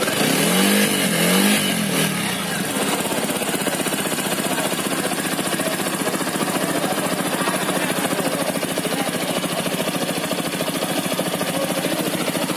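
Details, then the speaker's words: TVS Apache RTR 200 4V BS6 under a year old, after service tightened loose cylinder-head nuts that caused a head tapping noise: brief throttle blips then an even, steady run with no ticking or tapping from the top end; engine sounds healthy. "तो अभी मैं गाड़ी मेरी वाशी से चला के ला रहा हूँ और अभी साउंड सुनो। सो अभी गाड़ी बराबर चल रही है।"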